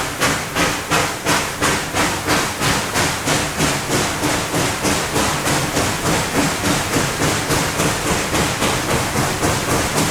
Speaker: So you can start to hear that 4-chuff pattern. Chuff, chuff, chuff, chuff. It's a very distinct pattern, and it is something that is very evident on steam locomotives, as evidenced by some of these videos here.